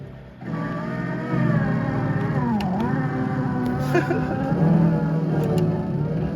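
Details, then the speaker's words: 1979 Trans Am 455 5-speed, newly installed 8-track player plays music low and sagging in pitch, wavering at roughly half speed; owner read that dried-out belts cause slow playback, not confirmed. "I read online that it plays slow if the belts dried out and not moved up so we've got like half speed music coming out of try it's better than nothing I guess"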